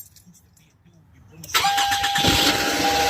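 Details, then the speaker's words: Toyota Camry after battery replacement (old battery was the cause of the no-start): near silence, then the engine fires at once and settles into a steady idle; starts cleanly. "All right, so that's all right, y'all. As y'all see, the car is running."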